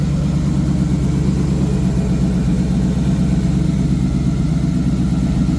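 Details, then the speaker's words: 1986 Ford Mustang GT Fox Body V8, fuel injected, open H-pipe exhaust, just after setting base timing: a deep, even burble at steady idle, no miss, ticking or stumble; runs much happier; normal idle. "Uh, once I went ahead and shot base timing, you could tell the engine's running a lot happier now. Uh, it sounds a lot better."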